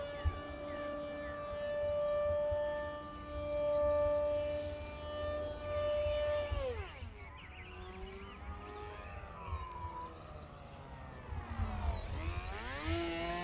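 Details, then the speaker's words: HobbyZone AeroScout 1.1m RC plane electric motor: whine holds, sags, then climbs only gradually after throttle, as the speed controller is set to a slow soft-start throttle ramp the pilot wants reprogrammed. "Really? Yeah, because I do not like the slow ramp up on the throttle. It's terrible for me. Because I'm like, I'd like some power now."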